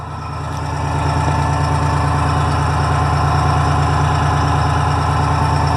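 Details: Detroit Diesel fire truck idling after charging wire repair, charging at 13.09 V; deep, steady diesel idle with even throb, no knocks or misses; running smoothly.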